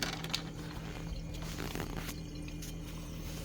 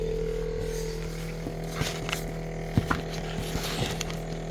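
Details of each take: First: Samsung Zipel SRT686FVIS refrigerator, rear panel open at the condenser and fan, after fix: newspaper wedged between condenser and floor stops the rattling from a faulty condenser mount; low steady hum, faint upper tone, no rattle; running normally. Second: Samsung Zipel SRT686FVIS refrigerator, rear condenser and fan compartment opened: steady low drone with fine rattle and handling knocks; weakened condenser mount lets it vibrate, pushing condenser stops noise, newspaper wedged under condenser fixed it.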